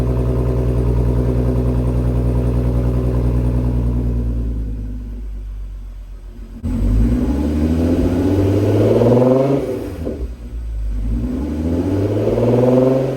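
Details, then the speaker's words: MK6 GTI with 3.6 VR6 after rod bearing repair and second engine flush: idles smoothly then revs cleanly up and down, no knock or tick; runs great, no dash warning lights, drained oil clean. "car runs great there's no lights on the dash"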